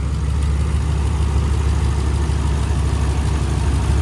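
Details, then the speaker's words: 2011 Ram 1500 5.7 Hemi 4x4 idles with a steady, even low rumble and no knocks, misses or surging, after a temporary fuel pump relay fix; it had cranked but not started for two months despite new plugs and injectors. "and it's alive [Music] sweet"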